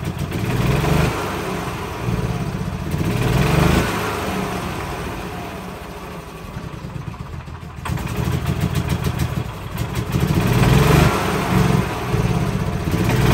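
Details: 2013 E-Z-Go gas golf cart single-cylinder engine running only on choke: putters unevenly, surging and sagging; owner suspects not enough fuel pulled into carburetor even at full throttle, needs carb kit.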